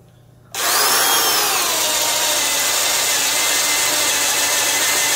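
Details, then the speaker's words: Porter-Cable 1/2-inch drill with Jacobs chuck, drilling wood in comparison with a Black & Decker 1309: motor spins to a steady high whine and holds speed without bogging much; normal drill under load. "And let's see how it does. Just seems to not bog down quite as badly."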